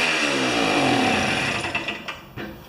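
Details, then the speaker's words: Old two-stroke snow thrower, years unused, restarted with key on after sitting on old rich-mix fuel: high, buzzy rev holding steady, then easing off as throttle drops; runs freely and healthy. "Well, I haven't had that much fun in a long time. It's even got the spruce twigs in it. So it works."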